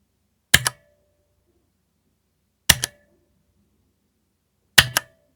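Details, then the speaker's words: Spigen ArcPlay mechanical gaming keyboard, non-hot-swap switches: quick double key taps each leaving a short metallic echoing ping, more apparent on left-side keys; cause not pinned down, owner unsure whether only his unit is affected. "Now, I don't know if it's just my keyboard, but I can hear a strange echoing ping sound from the keycaps. It's more apparent from the keys on the left-hand side of the board."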